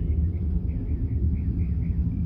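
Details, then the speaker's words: 1987 Ram D50 with Ford 302 V8, new MSD ignition and new carb: deep, lumpy idle with puffing chuffs from V-band exhaust clamps leaking because they're in a bind; owner plans to raise the transmission, straighten the driveline and redo the exhaust. "uh v bands are leaking because they're in a bind"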